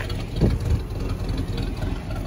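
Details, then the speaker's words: Classic Ford F150 300 inline six, just revived after sitting about 29 years, still cold: steady, even low rumble with no knocks or misses and no heavy smoke; normal idle. "all right y'all it sounds just like every 300 we've had or every inline six ford that we've had it runs and it actually runs really well it's not blowing a bunch of smoke or"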